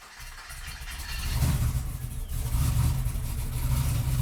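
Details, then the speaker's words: Freshly rebuilt 1998 GMC Sierra V8, 13,341 miles, short muffler, just after first start indoors: low uneven choppy burble swelling as it settles, quiet overall; healthy big-cam idle. "Dude, this thing's going to have some chop."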